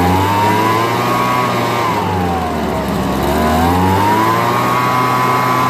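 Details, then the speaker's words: Homelite BP250 two-stroke backpack leaf blower found in trash, old gas drained, fresh 2-cycle mix: after several cold starts it idles well with an even buzz, speed swelling and settling as it warms up. "soon for work pretty well man idles well"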